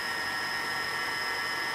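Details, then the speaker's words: New MN2214 V3.0 Tiger Motors on a DJI Phantom Vision, first power-up after install: constant high whine with no wobble or grinding; motors spin up and hold speed cleanly, responsive and really smooth. "coming on they seem pretty responsive really smooth"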